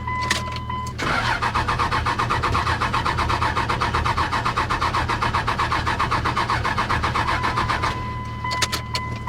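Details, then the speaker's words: 2000 Dodge Ram 2500 5.9 Cummins 5-speed after sitting three years, fed ether: the starter turns the engine over at a steady four beats per second for about seven seconds and it never catches. Cranks but no start; the owner suspects no fuel delivery, unconfirmed. "Sounds like it's not getting fuel. That's all ether. Dang it. Well, it started, but it's not getting fuel."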